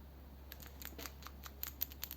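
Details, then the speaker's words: Big Inch Flatty flathead engine on stand, manifold removed: PCV valve shaken by hand gives light irregular metallic rattling ticks, now moving freely after being jammed; engine pulled for oil leaks and rattling. "so you're supposed to be able to wear these rattling you can hear it rattling now hear that now"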